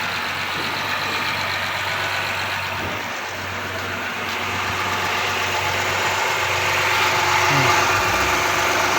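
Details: 2014 Honda Accord V6 at cold-start idle, with a sharp, even tapping about four times a second over the engine hum. This is engine knock at cold start; the cause is not yet determined.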